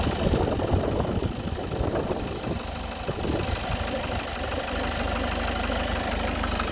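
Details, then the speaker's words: Citroen Relay van at 12,800 miles, knocking since about 4,000 miles, heard from the front after a rev: uneven clattering knock and fretting over the idle, worsening the longer it idles and as it warms; dealer software update hasn't fixed it. "Hear this, that knocking's getting worse. The longer and longer I leave it like this, the worse it gets."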